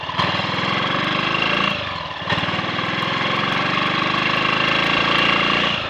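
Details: Triumph Sports Cub single-cylinder after a rust clean-out of the fuel tank and a protruding-electrode spark plug fitted: pulls cleanly through the revs with an even exhaust beat; the earlier misfiring and cutting out are gone.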